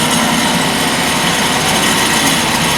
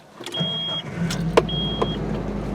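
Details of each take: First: 2003 Nissan Frontier XE King Cab, 2.4L KA24DE, FS5W71-C transmission, after clutch and pressure plate replacement, running through gears at 1,000 rpm: loud harsh grinding hiss in fifth gear, something rubbing. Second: 2003 Nissan Frontier 2.4 L KA24DE with FS5W71-C transmission, 226,950 miles, after clutch and pressure plate replacement: steady low hum with light cabin clicks and a chime. There is no grinding after the dust cover plate was bent clear; it runs normally.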